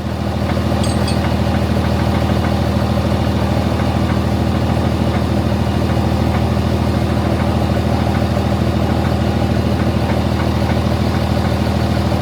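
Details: Diesel truck after dyno pulls, idling: deep steady idle with a regular light metallic clink about three times a second, first mistaken for straps; loose torque converter bolts.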